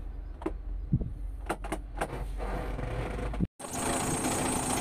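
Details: Bomag BW211D diesel roller with an engine-shutdown, low-oil-pressure warning: a few clicks and knocks at start, then even low idle; actual oil pressure measured 5 kg at low idle (above the 0.8 minimum), so the oil pressure switch is faulty.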